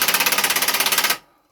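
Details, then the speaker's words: Circa-1979 Honda XL125S single after oil change, carburettor clean and replacing a stripped exhaust stud: crisp, even exhaust pops about seventeen a second, then cut off. No leak chatter, noise much quieter; runs normally before first test ride. "We've had to put a new stud in there because the other one, the threads had pulled out. So I've done that. That's quieted it down a loads."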